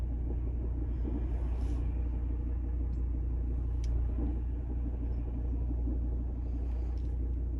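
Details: Volvo V60 Ocean Race Edition at idle with the clutch pressed about half an inch: low, uneven knocking under a steady rumble that goes away with the clutch fully down. Failing dual-mass flywheel.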